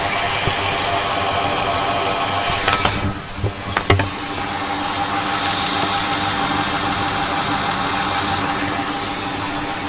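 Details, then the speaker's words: Idling engine during fuel system diagnosis before an injector rebuild, injectors heard through a stethoscope: a fine, even ticking with a couple of louder handling clicks; all injectors sound similar, normal. "okay so all of the injectors do sound similar you can hear a distinct ticking so now let's uh check and see what the resistance values on them are"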